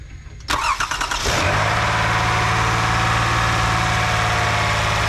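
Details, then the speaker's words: First start after timing belt replacement. Brief cranking, a quick catch, then it settles straight into a smooth, even idle with no knock or bang; a healthy start. "So far so good. Sounds pretty good. It didn't blow up right away, so that's good."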